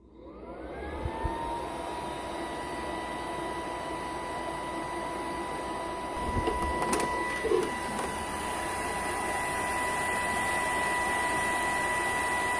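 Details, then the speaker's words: Capcom CPS2 arcade system board from the 1990s, heavily used, running out of its cabinet: the worn cooling fan spins up within a second into a loud, constant whine with a rushing hiss; an unbearably loud old fan, later swapped for a new 60mm 12V fan. "As you can hear, the fan sound is incredibly loud. These CPS2 systems are well known for how loud they are, but when they're sitting in an arcade cabinet, you don't really hear them."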